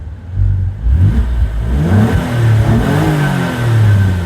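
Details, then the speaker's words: Low-mileage Alfa Romeo Brera 3.2 V6 Q4 coupe with full service history, just started with condensation steam from exhaust: deep smooth note swelling through quick blips and settling cleanly; healthy V6, no rattles or misfires. "how nice does that sound really does sound well"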